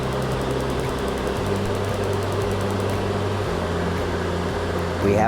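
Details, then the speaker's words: Suburban RV furnace that sometimes failed to fire, now with a replacement blower motor, the old motor being the whole issue; with spark now confirmed, the fan runs with a steady even hum and no rubbing or squeal. Normal blower operation. "This one presented itself a little tricky [music] than other motors, the which right away, after working with these, I know the noise it's supposed to make."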